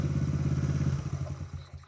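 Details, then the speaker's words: Minico Trail Jet/Dixie mini bike (Honda Z50-like), freshly fitted small single-cylinder engine with carb and CDI, first start without choke: quick, even firing beat, then revs drop away cleanly with throttle cable hooked up; healthy engine revving. "Oh, holy Look at that run. I didn't even use the choke. No way. All right. Oh, yeah. Hooked up throttle cable, too. That sounds cool."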